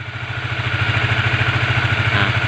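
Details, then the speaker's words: Honda CBR150 LED after engine teardown that fixed severe top-end rattling and cleared the oil passages, oil now flowing to the head: even, steady idle with no clatter; normal idle. "Eh sudah bagus kembali dan suaranya pun halus tidak Berisik"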